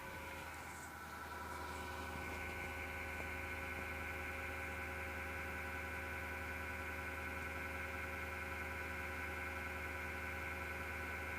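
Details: MSGW Plutos desktop PC power-supply fan: constant whirring hum with a faint rough edge, recurring after two months and gone after overnight shutdown; worn fan bearing suspected, not confirmed.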